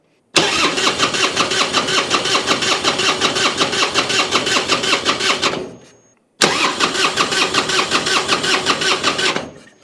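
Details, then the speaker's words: 1999 Harley Road King EFI revived after sitting, spark confirmed, likely bad old gas: two bursts of steady starter cranking, about 2.5 turns per second, never catching; crank no start, owner suspects clogged injectors from stale fuel. "Okay, she's not even burping off for us."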